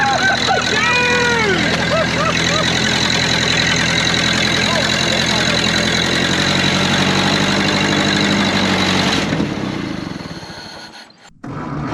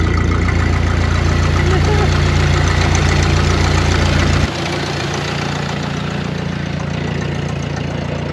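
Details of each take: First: 1931 Ford Model A peach flat, sat 30+ years, first start with choke held: after a few squeals, a steady four-cylinder putter holds evenly until it runs out of fuel, apparently with exhaust chunks missing; runs awesome, normal idle. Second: 1931 Ford Model A peach flat sitting 30+ years, first run after revival: loud, open, chuffing idle pulsing about three times a second, then dropping lower; muffler split wide open at the seam leaks exhaust; carburetor not entirely happy, needs a kit.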